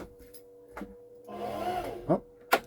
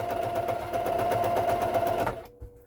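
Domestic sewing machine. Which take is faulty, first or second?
first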